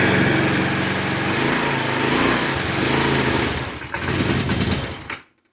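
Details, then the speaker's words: 2007 GY6 150cc scooter, parked since 2016, after repairs and center-stand removal: buzzy single-cylinder putter running fairly evenly, then cutting off; much more manageable, though it may still need carburetor work. "let's see how it sounds all right here we go [Music] that is much much more manageable"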